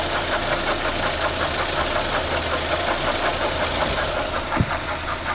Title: Knocking sound coming from engine